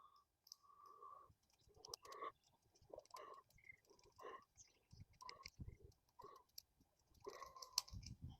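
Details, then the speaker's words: Project Sundance fuel injector powered straight from the battery with test leads, engine not running: irregular sharp little clicks, possibly arcing at the leads; injector may be opening, fuel leaking. "I cannot feel it opening. I can hear it clicking, which is just it arcing."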